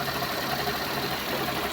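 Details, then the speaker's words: Suzuki Multicab (DA64V/DA64W/DA17V/DA17W series) small petrol engine at idle after its hose was rearranged and a check underneath found no leaks; it has a steady, even, smooth low hum with no knocks or ticks. Normal healthy idle, just before light revving. "So tahimik na yung makina. Ano? Tahimik. Ang ganda ng minor."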